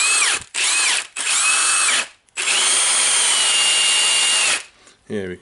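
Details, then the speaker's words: Milwaukee nutgun with 1/2-inch square anvil; customer reports wobble and a hard-to-press mode button: short bursts of motor whine, each winding up and cutting out, with a rough rattle traced to the anvil. Bearing and gear look good; regreasing. "we can hear the sound. It goes from the anvil here."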